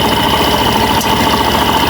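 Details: Suzuki Burgman Street scooter after fix for noisy CVT: warm idle with even steady hum, no rattle or scraping from the belt drive; transmission runs quiet.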